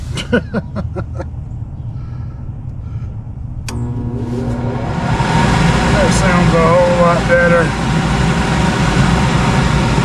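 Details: Goodman gas package unit that quit heating, jumped on for testing, gas pressure 3.4 of 3.5: a few clicks then the inducer blower spins up into a smooth, steady hum with no rattle or scrape; running normally.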